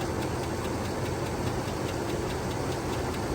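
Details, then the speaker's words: 1999 GMC 2500 6.0L LS V8, hasn't run in a while, idling before rebuild: steady idle with fast light ticking following engine speed, a top-end valvetrain tick, cause unknown. "tart but as you can hear it's making a uh top end tick not to worry though because you don't think I'm going to put the motor in the moris like this obviously not"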